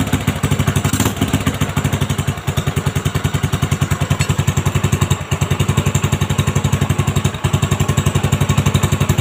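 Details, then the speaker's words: Honda Supra X 125 just after fitting a new cylinder block set with a standard-size piston and reinstalling the exhaust and carburettor: even, steady idle thump of about four beats a second with no rattle or knock; normal idle. "Oke Guys Alhamdulillah sudah selesai penggantian blok baru guys"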